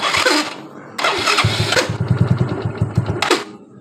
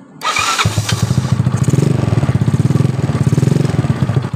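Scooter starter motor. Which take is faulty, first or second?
first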